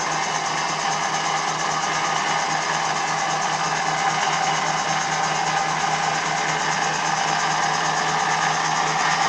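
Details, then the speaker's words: 1958 Meddings Pacera M4 drill press, 550 W three-phase 415 V motor on a 2 kW Mitsubishi inverter, after shaft repair: steady, even hum with constant whirr, no knocks or grinding; running normally. "So as I say, it's running 415, and of course it's running on a Mitsubishi inverter."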